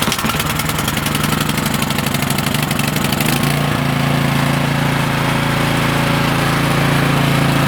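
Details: Cub Cadet snowblower after a new MTD carburetor (651p05995) was fitted because it only ran on choke and leaked fuel into the oil. Hand pull start outside, choke on, primed: it catches at once and runs steadily and evenly.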